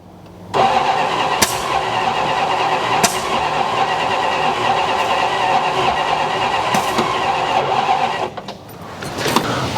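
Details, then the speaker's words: 1969 Dodge Coronet 340 V8 cranking. The cranking is long and uneven with sharp pops back through the carburetor, and it never runs. The cause is suspected, not confirmed: ignition about 180° out or the firing order wrong. Backfire through the carburetor while cranking. "Well, we definitely got spark popping out of the carburetor left and right. That tells me I think it's about 180 out or the firing orders jacked in it."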